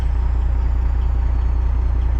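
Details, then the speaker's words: Kenworth cabover diesel truck after a suspected gummed or stuck injector apparently cleared by running diesel clean through and warming up; deep, even thrum with steady firing pulses, responding cleanly to throttle, no stumble or skip. Smooth running. "Smokey is Well, it's not really smoking right now, but it's running. And it sounds like it's running good. Like I hit the throttle and it just does what it's supposed to do."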